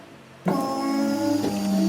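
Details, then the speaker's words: Mazda 3 derby car after reinstalling gas tank and battery, key-on: steady electric whine rising slightly in pitch as the fuel pump builds pressure; normal fuel pump priming. "you hear the fuel pressure now we're going to try to turn over the car"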